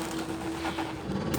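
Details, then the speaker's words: 2021 Salem 27RE trailer slide-out: a steady motor hum shifts into a brief rough grinding as the slide reaches full extension, which is normal. "hear that little grinding noise you know it's all the way out"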